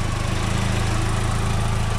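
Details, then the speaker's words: 2004 VW Golf, AC button pressed, new cooling fan fitted: one radiator fan goes to high, the other on low; steady even hum with soft regular pulse, no rattles or scraping, normal operation. "when I turn the air conditioner on this fan goes to high and that fan comes on low I'll show you in a second this is my AC button right here [Applause] fan is on high and that fan is on low"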